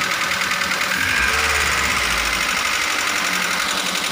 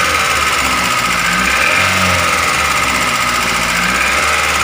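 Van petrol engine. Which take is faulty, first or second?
second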